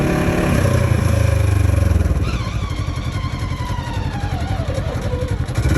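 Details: 2015 Polaris RZR XP4 1000: thin whine dropping in pitch as engine slows off throttle, over the motor; from gearbox/transmission/clutch drivetrain, exact source unknown.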